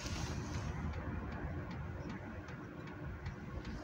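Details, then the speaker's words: Hcalory 8k all-in-one diesel heater on first start, drawing about 117–142 W from a power station: soft, light dosing pump ticking a few times a second under a low fan hum; quiet and normal. "not sure if you can hear that there's always been complaints about these dosing pumps being noisy this one's not"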